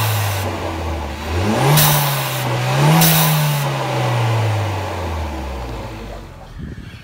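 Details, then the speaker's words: 2017 Kia Soul Turbo with aftermarket intake whose piping lacks the recirculation plug, so the recirc valve vents compressed air straight to atmosphere out of its pipe: revs rise and fall with a sharp airy whoosh each time the throttle snaps shut, like a blow-off valve. "very nice so I definitely have a blow off from that recirc valve which is pretty neat I don't know if y'all can hear that"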